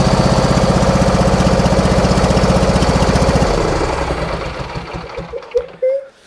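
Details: Husqvarna lawn tractor that bogs when the PTO is engaged, spark tested good and plug found wet: a lumpy, uneven thumping around four beats a second with a missing pulse, then it winds down and stops. Only one cylinder is firing.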